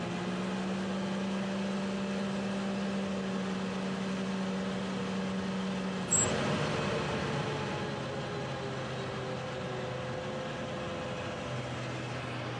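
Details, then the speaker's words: 2019 Can-Am Maverick X3 XRS Turbo R, which went into limp mode with P0301-P0303 misfire codes around 6000 rpm, running after a worn drive belt was replaced: steady, even engine drone with no stumbles; fixed. "all right that looks fixed super happy all it costs took was a belt goodness gracious"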